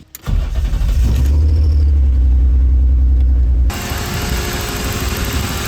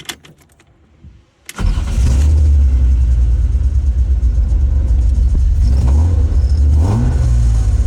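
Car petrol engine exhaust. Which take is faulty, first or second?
second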